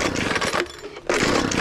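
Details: Homelite backpack blower after carburetor replacement, running 50:1 fuel mix on half choke. Buzzy two-stroke revs high, briefly sags and picks straight back up. High and low mixture screws still need adjustment.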